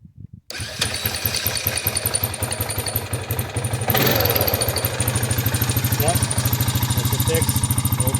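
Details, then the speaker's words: 2009 Honda Rubicon TRX500 (Foreman) ATV after fitting a new G23 battery (old one read 9.3 V): brief crank, fires at once, settles into steady even idle, no misses; starts reliably, charging at 14.3 V. "new battery took care of the problem yeah we should be good to go G23 category battery and now she starts all the time no problem"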